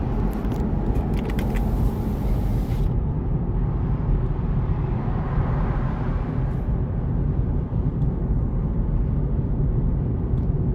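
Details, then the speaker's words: BMW 335d diesel idling with a heavy, deep, steady rumble, far louder than normal; rpm fluctuates on startup. Noise seems to come from everywhere, with no clear knock and no identified source. "damn it is super it is super loud hear like taking from everywhere"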